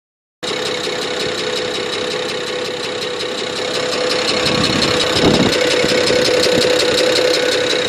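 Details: BMW 335i E90 petrol engine idling with a quick, regular light ticking, about three to four ticks a second, which then suddenly disappeared.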